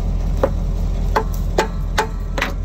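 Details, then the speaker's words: 1986 Ford F8000 with 3208 Cat V8 10.4 L turbo diesel, sat about 8 years: four hammer blows on the other-side drum give dead thuds with no ring (driver's side rang once freed), so the seized brake shoes are still stuck. "Hear that? It's sort of a thud. Ain't no ring. Well, I got to whoop on it and see if they won't come unstuck."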